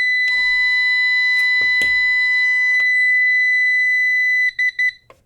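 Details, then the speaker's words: CyberPower 625VA UPS, suspected bad, carrying a roughly 66 W lamp when mains is unplugged: a steady, shrill alarm holds unbroken, then chirps a few times and stops; the unit is still drawing power. Alarm from a failed battery. "Okay, it that's what it does now. It's still screaming and still using power."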